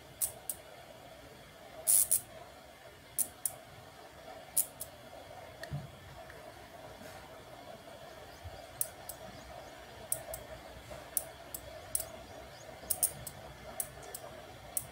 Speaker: you can also hear the clicking sound of the relay when an obstacle comes in front of the a sensor the relay gets activated